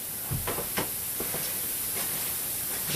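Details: Tesla-style SPTC coil with a silver-plated, Teflon-coated POE vortex coil running: irregular sharp sizzling bursts over a faint hiss. High-voltage arcing off the coil, generating ozone.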